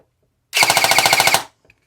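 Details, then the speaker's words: CYMA REC10 SR25 airsoft AEG during motor height adjustment by quarter turns. A short rapid burst, about twelve shots a second, with a gritty whine. The motor is not set high enough; tightening it further made a big difference. "Oh yeah, that made a big difference. Okay, so we had to tighten it a little bit, so it wasn't up high enough."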